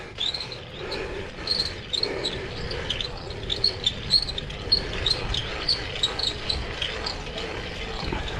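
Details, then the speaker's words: Brompton folding bike ridden in first gear; rapid, loud, uneven high chirping and ticking pulsing with pedalling, quiet in second gear; chain known to be worn out, owner hopes it is chain and sprocket but is unsure; drivetrain noise. "That's first gear. You hear all that noise? It's one of the things I want Chuck to look at."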